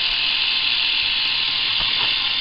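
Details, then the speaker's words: Philips rechargeable cordless shaver, fully charged, 1.25 volts measured at motor: thin, steady buzz with low, lazy pitch; low motor speed from insufficient voltage, owner plans to double voltage for double speed. "not nearly enough needs to be increased twice the voltage will be twice the speed that you're hearing now and that's what i'm looking for"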